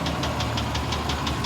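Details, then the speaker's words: 1998 GMC Savana 2500 5.7-litre V8 at idle: sharp, even knock about six times a second over a steady rumble; owner first thought it a tick, now suspects a knock, cause not confirmed. "the ticking sound that i thought was a ticking sound is more like a knock maybe which is bad anyway you can hear it from here"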